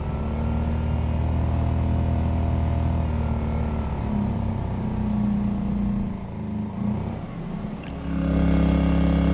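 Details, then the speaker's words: Winnebago Minnie with a Coleman-Mach 15k BTU rooftop AC and a Micro-Air EasyStart 364, run from a 2000 W inverter generator in eco mode. The compressor load dragged the engine toward stall before the EasyStart cut the compressor, and revs recovered. Suspected cause: a gummed-up carburetor. "so the EasyStart actually cut the load. It pulled the generator down and was about to stall the generator, and the EasyStart cut off the compressor."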